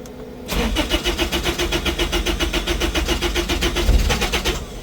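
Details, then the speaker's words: Truck, start after a leak check: the starter churns at nearly four turns a second for about four seconds before catching; the owner suspects air bubbles. "I might have some air bubbles. Ha, it's running."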